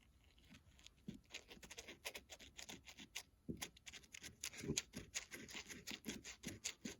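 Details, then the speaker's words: Husqvarna 435 chainsaw carburetor opened up; faint papery crinkling as the diaphragm is flexed; the rubber has dried out and is no good, needing replacement. "if you hear that that's just a dried out rubber diaphragm and um it's starting to get papery and she's no good"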